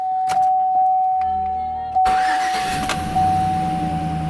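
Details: Saab 9-7x start after installing a Quantom 340lph fuel pump and drop-in assembly to fix the fuel level sensor, about a quarter tank: two seconds quiet, then a clean catch into a steady, even idle.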